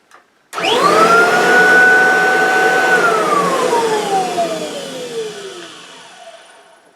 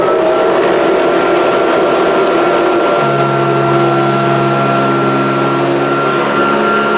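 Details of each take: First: Kirby vacuum motor run with the belt disengaged. It spins up to a clean, steady whine and coasts down evenly with no rattle or knock, so the motor sounds healthy. The separate rattling is suspected to come from the brush roll. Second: Kirby upright vacuum: steady motor whine with a fine, continuous rattle riding over it, not normal; owner suspects the fan or an incorrectly fitted agitator, unconfirmed.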